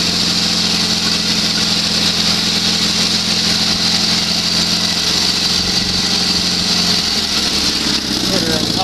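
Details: Sears SS16 garden tractor with Onan twin-cylinder engine, revived after sitting several years; steady even twin drone at high throttle, no stumbles or knocks, holds speed smoothly; smokes slightly under load, owner suspects it needs plugs and possibly rings.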